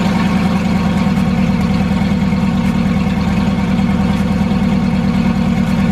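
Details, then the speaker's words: Turbo Foxbody V8 after fitting an EGR block-off plate and topping up coolant: deep, loud, even burble with no stumbles or misses, turbo audible; normal smooth idle. "so she sounds good she's idling great uh just put uh more coolant in the radiator but yeah she's she sounds good she's running good"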